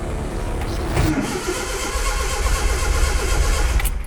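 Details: Datsun pickup with freshly rebuilt engine: steady rhythmic cranking at about four turns a second with no firing or catch; cranks but won't start.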